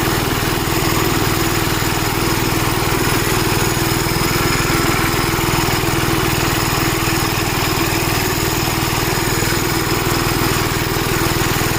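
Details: Gravely Model L tractor with governor, already run earlier, after its blown head gasket was replaced; steady, even single-cylinder thump at fixed governed speed, no misses, knocks or rattles. Runs healthy, though an oil leak remains to be found.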